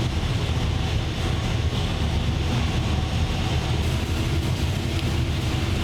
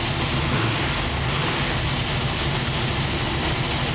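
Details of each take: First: 903 cu in Hemi after changes: a heavy, choppy V8 rumble with a deep, steady lope, far more responsive than before and like a 3/4 race cam. It seems super rich; no pull made yet. Normal running. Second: 903 cu in Hemi running super rich, before the camshaft was reground on correct angles: loud, ragged roar with an uneven lumpy beat, one bank fighting the other; wrong camshaft timing from a mis-ground cam.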